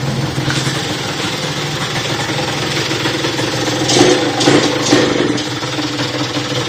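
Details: Motorhispania RX50 Racing (Peugeot XR6) two-stroke moped, start-up after side stand replacement with cooling still to sort: putters unevenly at idle, beat wavering and surging, only just staying alive on choke; runs poorly, cause unknown.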